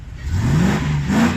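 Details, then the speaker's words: 1988 Range Rover Classic, V8, used daily recently without issue: clean rev blip from idle, pitch rising smoothly and settling with no misses or knocks; normal rev. "let me turn off this engine i'll give it a rev if you know it sounds"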